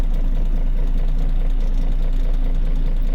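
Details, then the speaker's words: Isuzu Forward truck diesel after fixing code P0336 crankshaft position sensor fault, codes cleared: steady even idle rumble with no misses, knocks or surging; the gauge needle no longer fluctuates when accelerating; running smoothly. "Accelerator करके एक बार check करते हैं इसको, सही है। अब ये सुई फ्लक्चुएट नहीं कर"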